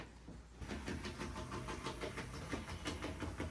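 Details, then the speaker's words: N-scale model locomotive with the motor running: small motor buzz with rough, uneven ticking about three per second; pickups visibly rubbing on the wheels, suspected cause of the rough running, before wheel cleaning with mineral spirits. "Oh, you can see the pickups rubbing on it right there."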